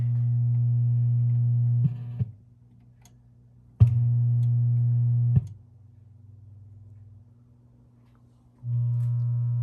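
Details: 1978 Williams Phoenix pinball sound board; steady low buzzing hum drops in and out with the audio stages. Amplifier hum, hum later gone after bending pot contacts for better contact.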